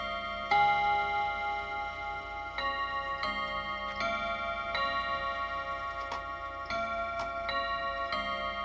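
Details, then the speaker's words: Freshly reassembled chime clock after first service, testing the top of the hour where the full song and one strike were expected: bright chime notes at uneven intervals over faint tick; hour strike count wrong (heard as 3, recounted as 4), cause unclear. "Okay. We chimed 3. That's not great. Did you actually count 4?"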